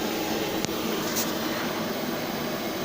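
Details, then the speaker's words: KamAZ truck air brake system losing pressure, charged to just over six bar on the handbrake with the engine off: constant loud hiss of escaping air; leak traced to a burst air hose. "на удивление сейчас не шипит вот эта хрень А шипит где-то в другом месте полезем искать"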